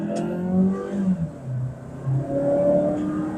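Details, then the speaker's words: Mazda3 Skyactiv BN with about 75,000 km, revving: the note dips and falters twice mid-run, a misfire-like stumble. Spark plugs, due at 80,000 km, are suspected along with a sooty, dirty intake manifold; unconfirmed. "อ่ามีแกกตลอดเลยอืเขม่าเลยท่อร่วมเริ่มมาเยอะเนี่ย"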